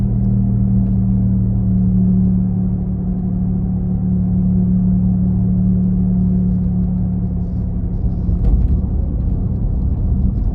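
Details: 2017 Nissan Leaf while driving: steady low droning rumble under road noise, like an engine at the rear, loudest between 40–50 km/h but present at other speeds; owner asks if normal, cause unknown.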